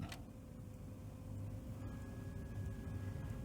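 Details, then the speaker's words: 1966 Grundig Stenorette L dictation machine motor: steady hum with a faint tone over an uneven low rumble, sluggish and slowing at times, worse as it warms; owner suspects the 2 µF motor run capacitor and a mechanical issue, not confirmed. "t know I'm in two min cuz I can hear the motor slow down sometimes which is a sign that possibly the motor run capacitor is bad"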